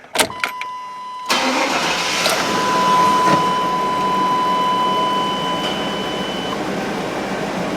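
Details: 1999 Chevy Tahoe after repair of a bad body ground with new ground straps, with a voltage drop test running: a short crank, then it catches at once and settles into a steady, even idle. A normal, healthy start.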